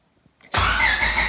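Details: Engine cranking steadily with distributor and fuel pump unplugged to build oil pressure before dyno day; even, smooth spinning with no firing until the oil light goes out, then distributor and fuel pump are plugged back in to run.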